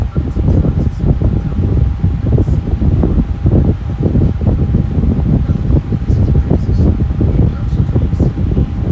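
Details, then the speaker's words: Lasko Air King high velocity floor fan, a discontinued series: steady airy rush with a constant faint hum and no rattles or ticking, running evenly and healthy. "I'm gonna be quiet and let y'all hear it for a little while longer than my fan from running."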